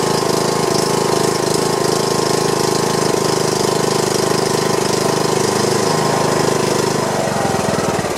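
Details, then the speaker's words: John Deere lawn tractor single-cylinder engine after replacing a broken push rod and adjusting valve clearance: steady, even thump at a fast idle with no misses or knocks; smoke is from oil burning off the muffler. Running cleanly. "so i guess i could power wash it off or see if i can just run it for a while and just go ahead and burn the rest of that off but the engine sounds like it's running good"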